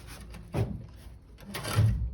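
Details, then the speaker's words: 2008 Dodge truck with a 68RFE transmission, wheel spun by hand: two low scraping rubs. The parking brake is dragging. "See if I can spin these tires. Oh yeah, I hear that parking"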